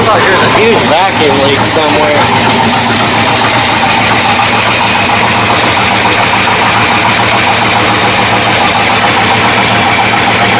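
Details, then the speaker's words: 1979 Ford Dentside truck V8, new carburetor, floats adjusted, choke open: uneven loping idle with constant intake hiss; owner thinks hiss is carb suction not a vacuum leak, suspects ignition timing still off. "St yeah I think timing's still off I don't think that's vacuum late I think that's just a suction from the carburetor actually I am pretty sure we still have timing issues"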